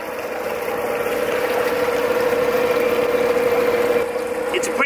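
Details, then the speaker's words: Homemade electric outboard motor converted from a gasoline outboard, at maximum speed on 24 volts; steady fairly quiet mid-pitched hum with no grinding or knocking; running normally. "quiet uh this is the maximum speed of uh 24 WS"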